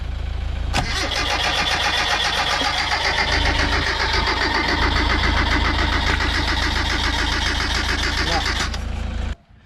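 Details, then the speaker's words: 1977 Sigma Lancer, first start after front-end reassembly: engine catches quickly, runs lumpy at roughly four pulses a second, then cuts out; poor start, owner suspects a loose earth inside the distributor. "okay while the camera was off had to fix up a on on my distributor there was a bit of a loose earth or lose grant inside it so I think that could be the cause of my problems"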